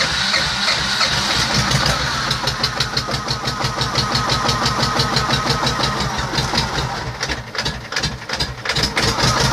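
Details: T-25 tractor diesel engine after repair, normal diesel idle: steady, even chugging with a regular beat and no knocks or misses; healthy running engine.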